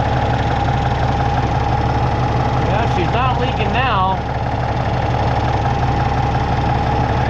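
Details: Peterbilt with an ISX Cummins CM2250, after repairing a front structure oil leak, now not leaking and warming up before an oil change: steady, even diesel idle with a low regular clatter and no misses or knocks; healthy.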